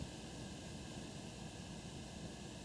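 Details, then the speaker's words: Phono preamp kit build (Elliott Sound Products project) with inputs shorted to ground, volume turned up very high: soft even hiss with faint low rumble, normal noise floor of a high-gain phono stage, inaudible at normal listening levels. "I mean you're always going to have some cuz that's a pretty high gain amplifier so at normal listening levels you're not going to hear that"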